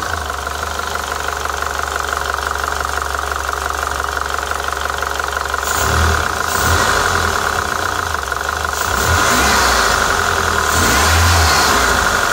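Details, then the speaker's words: PT Cruiser GT 2.4 turbo, after lifters, rockers and cam caps cleaned and refitted: sharp rapid ticking clatter over idle, climbing with revs; sounded worse, loud valvetrain noise, cause not yet found. "to me that sounded much worse"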